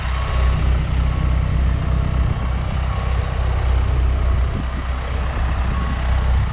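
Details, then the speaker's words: 2019 Isuzu FTR box truck with 26 ft Morgan aluminum box, cab tilted forward, engine started for walk-around: steady, even low diesel rumble with a regular soft beat, no knocks or misses; healthy normal idle. "we're going to start the engine, and we'll go around the truck real quick so that you can hear it in action."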